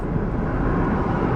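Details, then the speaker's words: 2014 Kia Sportage driving after replacing a front sway bar link damaged by a pothole, which had clinked and rattled over uneven bumps and at low speed: only a low, even road rumble with no clinks or rattles. Quiet front suspension after the repair. "got a nice quiet riding car again yes"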